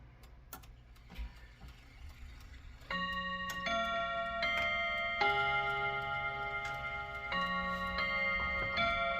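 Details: Chiming clock after its first service, set to chime on the hour near 7 o'clock: steady tick at about 150 a minute, then clear ringing chime tones; keeping time and striking normally, though it may need adjusting.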